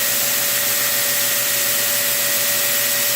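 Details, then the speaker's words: Prototype 2x72 belt grinder at full power during a vibration test, nickel standing on edge hasn't moved; steady motor tone under constant belt hiss, no wobble or thumping, normal operation. "This is my vibration test. This is to see whether or not the tool is built well."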